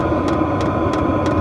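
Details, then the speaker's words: Vevor diesel heater from Amazon running: sharp ticks about every third of a second over steady fan hum from the pulse-type fuel pump, louder at higher temperature settings; normal but annoying. "one thing I will say for last is you can hear this um clicking sound just be quiet there so you can hear it it is a little bit annoying and it does get louder if you put the higher temperature as you've heard before um that's from the uh pulse pump"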